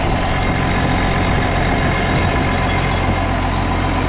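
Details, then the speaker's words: Case 305 tractor after replacing exhaust manifold gaskets, bolts torqued to 18–20 ft-lb: steady, even low idle rumble with no ticking or puffing at the manifold, exhaust sealed. "well I don't hear any kind of clicking sound"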